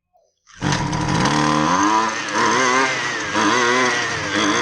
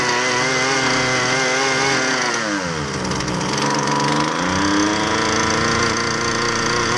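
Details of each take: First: Husqvarna 128LD string trimmer with sidewalk edger attachment, after carburetor refresh and adjustment screw tuning (previously ran only on half choke): small two-stroke fires at once and revs smoothly with a clean buzz, no stumble. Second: Husqvarna 128LD two-stroke string trimmer with edger attachment, which only runs on half choke; air filter fair, fuel tank clean: revs sag hard around three seconds, recover, then hunt unevenly. Lean running from fuel starvation.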